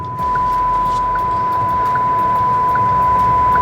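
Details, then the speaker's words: VinFast VF6 Plus electric car, 2 weeks and over 1,000 km old, while driving: steady high tone with short chime every 0.8 s over road noise; owner suspects faulty sensor, cannot disable it, thinks it needs a service-center visit; repeated warning chime. "so when this happens it's actually quite annoying and I don't know how to turn it off"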